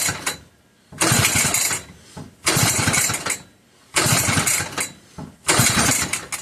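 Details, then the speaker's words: McCulloch 1-52 chainsaw (87 cc), freed up with strong compression, bar clamped in vise, switch in run: four rapid pulls each giving a brief raspy sputter that dies; cranking, no start, spark confirmed, owner suspects flooding. "I think it tried. Come on, old girl. I know this thing has spark. So, it's just probably flooded with a lot of fluid."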